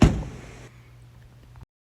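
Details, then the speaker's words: Volkswagen Jetta door closing after tightening loose latch bolt (triple square): single solid thud, no click or rattle. "So, the culprit here is going to be that latch is loose. I've seen this on a lot of Volkswagens."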